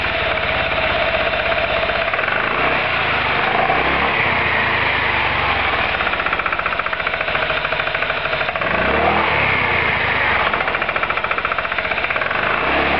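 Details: Roketa MC-54-250B scooter, 1730 miles since July 2008, stalls at every stop. Loud, ragged running with uneven pulses as it is blipped up and down. Cause: intake and exhaust valves had zero gap at TDC; adjusting the valves fixed it.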